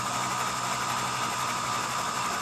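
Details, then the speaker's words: Vintage International Harvester truck engine, unrun for 21 years, cranked with the spark plugs out to check oil pressure: smooth, even cranking with a steady starter whine and no binding; not seized, but the gauge reads nothing and no oil reaches the top. "wow it spins over smooth though yeah it sure does"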